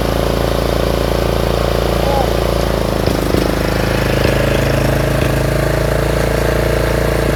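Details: Troy-Bilt 30-inch rear-engine riding mower just reassembled after carburetor work, with broken throttle plastic so the lever won't stay set. The single-cylinder runs steady and even, no misses or knocks, driving the mower along smoothly; running fine.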